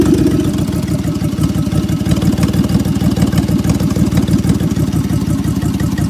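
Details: 2003 Honda 3.5 L V6 with misfire on bank 1, codes P0301, P0302, P0303 and P1399: uneven, lumpy idle with an irregular low thump, like several cylinders dropping out. Rough misfire; cause not confirmed.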